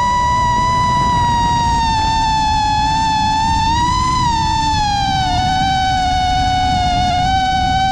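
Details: New-frame quad with new Xing 2207 2450kv motors, 5x4 V1S props, 4S 1500 battery, Bardwell F4 V1 FC, Spedix 30A BLHeli32 ESCs, Betaflight 4.1 with RPM filtering: high, buzzing, uneven motor whine wandering with throttle; constant motor vibration, cause unknown.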